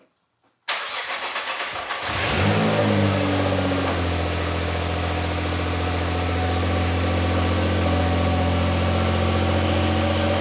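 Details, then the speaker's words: Rebuilt 2014 Nissan GT-R, first start after repairing fuel leak, expected sluggish while rebuilding fuel pressure: cranks about a second, catches, smooth even idle, no stumble or knock; no seeping or fuel smell found. "Now it's gonna start a little slow, a little sluggish, because it needs to build fuel pressure again, but I expect it will start."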